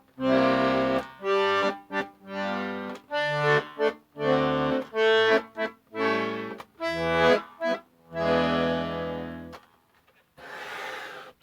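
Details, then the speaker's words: Accordion after tuning the bass-side reeds, reassembled and played: clean, steady bass and treble chords with no buzzing, warble or sour notes; normal, in-tune tone. "Bass side sounds good."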